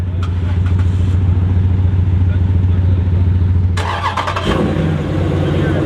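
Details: Chrysler 300C Hemi V8: deep loud rumble with raspy pulsing edge, exhaust leak from a broken flex pipe.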